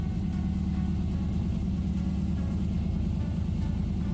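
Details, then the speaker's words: 6L LS V8 (L98, 6L80) swapped into a 1992 Toyota FJ80 Land Cruiser: a smooth, even rumble at a noticeably fast idle with no misses. The idle is high because the tune isn't finished yet. "still need to finish off the rest of the tune that is why it's our doing a little bit higher"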